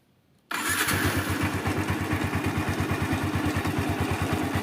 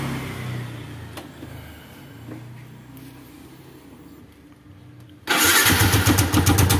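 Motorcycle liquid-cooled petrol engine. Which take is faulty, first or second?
first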